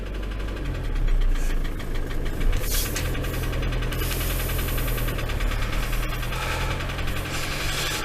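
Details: Ford Transit van diesel left standing a long time, idling and warmed to about 80°: steady heavy rhythmic knock under diesel clatter; engine knocking at idle, cause not yet traced, owner fears it won't restart if stalled.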